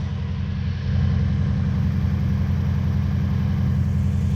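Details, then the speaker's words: Lexus 1UZ-FE V8 swapped into a 2WD Toyota Hilux ute in 2005, before repair: loud, choppy low rumble with a jerky uneven beat at idle, rattling; a timing light showed ignition timing out by 30 degrees, over-advanced. "we put the timing light on it and I've done a little video on the timing and the timing was out by 30 degrees"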